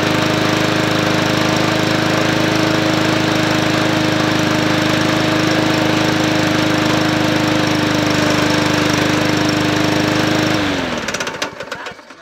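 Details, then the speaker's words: MTD Yard Machines 20-inch P510 push mower with a Powermore engine, running and smoking badly: a steady drone with a regular hitting knock of about three to four a second until shutdown. It is not heard when turned by hand, and the source is unidentified (probably not the blade). "there it sounds like it's not the blade no sounds like something hitting yeah but I don't it's smoking real bad too but I don't hear it when I rotate the thing over"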